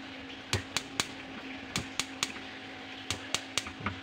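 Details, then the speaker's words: Built-in glass-top gas stove (kompor tanam), smallest middle burner fails to ignite: sharp igniter ticks in uneven bursts with a few soft pops and no steady flame; the outer burner lights fine, the middle one is hard to light. "Tidak menyala ya, cuma ada letupan seperti itu."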